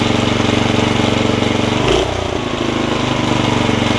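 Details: Snapper tiller, 5hp Briggs engine, after a stuck valve fix, pull rope lubrication, a new carb diaphragm and the jet opened back up: it starts right up and runs with a steady, even chug at fast idle, normal.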